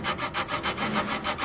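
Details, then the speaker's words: Volkswagen front suspension over speed bumps and rough roads in cold weather. It gives a dry, rasping creak about three times a second from the front sway bar bushings; the fix is replacing the sway bar assembly. "是前平衡杆胶套异响，需要更换平衡杆。"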